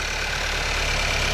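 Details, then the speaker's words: 2018 Skoda Octavia 1.5 TSI (about 110 kW) after fixing engine knocking with copper grease, key test run: smooth, steady, quiet idle with faint high hiss, no tapping or rattle, no play; normal idle after repair. "Powinno teraz hałasować jak skurczybyk a teraz jest cichutko tutaj nie ma ani grama luzu"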